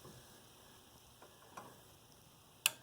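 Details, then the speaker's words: Harbor Freight 62875 7x12 hydraulic feed band saw (new model): quiet shop with faint ticks, then one sharp crisp click as the cut finishes; end-of-stroke pressure switch trips normally and kills power via the magnetic switch. "hear that little click? That kills the power. So you actually don't need to come over here and hit the off switch unless it's for emergencies."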